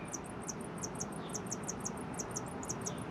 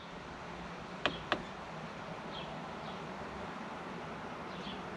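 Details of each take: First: 2019 R-pod 180 RV MaxxAir MaxxFan roof vent running after motor lubricated and refitted with cleaned blades: steady whoosh with quick, high, chirpy squeaks from dry motor bearings; lubrication fix failed. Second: 2019 R-pod 180 MaxxAir/Fantastic roof vent fan, after the squeak repair with motor and blades refitted: two switch clicks, then a soft, steady whir with no squeaking, whisper quiet.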